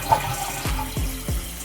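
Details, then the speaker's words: Toilet after fill valve replacement (old valve had made flushes shake the wall hard): water rushes and refills with soft, even gurgles, no banging or loud hiss; normal flush and refill, quiet healthy fill valve. "here's the old piece that i took out and i'm about to flush this to see if i hear any loud noises let's see perfect"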